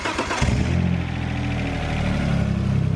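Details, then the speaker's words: Cadillac with an intermittent no-start (new starter and battery, wiring checked); jumpering the starter wire straight to the battery gives a brief crank whir, then it catches cleanly into a steady, even idle. Normal crank and start. "fires right up so that is why we were putting a push button start in this car"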